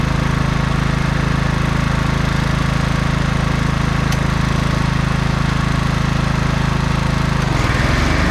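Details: Snapper Yard Cruiser 42-inch zero-turn, estate-sale mower revived after a mouse nest, cutting long grass: a steady, even drone holding speed without stumbling or surging; no smoke, didn't overheat, running healthy.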